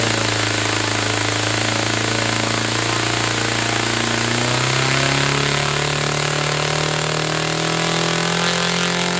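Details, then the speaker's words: Saito FA-300T twin-cylinder glow engine, glow driver off, high-speed needle set 2.5 turns out. A loud, steady buzzing drone climbs smoothly in pitch and holds. Both cylinders are firing evenly: normal running. "Okay, so both cylinders were firing then. It was sounding good."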